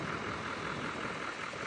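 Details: 2017-2019 Chevy L5P Duramax 6.6 diesel warming up at idle after No. 4 injector pigtail replacement and two days sitting, no fuel leaks: even, steady clatter with no misses, knocks or hunting, a smooth healthy idle.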